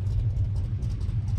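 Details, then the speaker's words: 1988 Ford Mustang Foxbody notchback V8 with under 60k original miles, long-tube headers, off-road mid-pipe and unknown mufflers, recorded from the rear. Deep steady low rumble with even pulses, no ticks or misses; surprisingly quiet, mufflers maybe due for a change. Normal idle. "the car is actually surprisingly pretty quiet for something with long tubes and an off-road on it so i guess it's okay maybe the mufflers need to get changed but uh yeah nice little idol"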